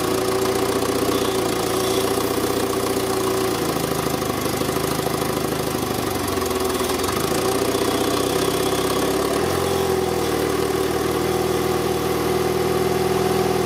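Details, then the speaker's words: Citroën C2 engine, cold November morning, air intake opening modified, engine mismatched with computer and wrong camshafts: even, steady idle with no misses, hunting or knocks; runs perfectly, sounds healthy. "by closing a bit more the engine is running perfectly you can hear it clearly I think I have to make up my mind this engine it is undoubtedly impeccable in fact"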